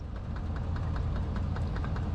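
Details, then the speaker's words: 2003 Ford Expedition, just bought with no history, possibly overheated or with a head gasket problem: the starter cranks at a steady quick chug, about four to five beats a second, but it never starts. Fuel has been checked. "go ahead crank that over let's just check for spark it's one of the things you have to check on a no on crank but does not start"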